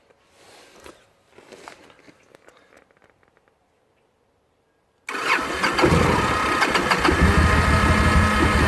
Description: 2009 Victory Kingpin, hard starting after running, then stopping for 10 min, then starting again.